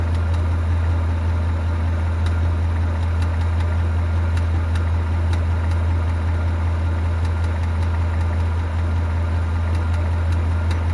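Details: 2018 Mustang GT V8 with a newly fitted NBRP cat-back exhaust, idling; loud idle with a sharp light tick about once a second, source unknown.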